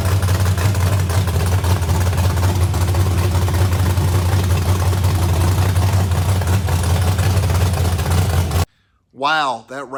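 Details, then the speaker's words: Small block Chevy, 700 hp, in a 1988 NASCAR Winston Cup Buick, first run in many years after four months' work; deep loud steady rumble, no knocks or misses, then shut off: normal running. "trying to get to the point where we could hear this small block chevrolet makes a sweet music and it did i am so relieved of the motors not been run in many years and man it sounds"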